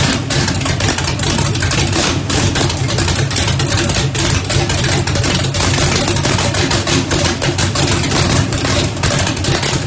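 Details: First start after rebuild, 1800 hp turbocharged small-block Chevy in Mustang, methanol fuel, Lil John's cam, primed with brake clean: loud choppy loping idle, steady and strong; sounds healthy.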